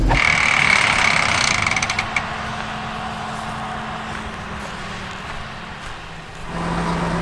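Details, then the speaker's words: Running John Deere 6600 combine, revived after sitting for years, harvesting weedy beans: rapid ratcheting clicks, about three a second, then easing off, as the feeder house slip clutch slips on a crop and debris clog. "It sounded like one of those triangle mesh teeth things slipping. One of the slip clutch thingies."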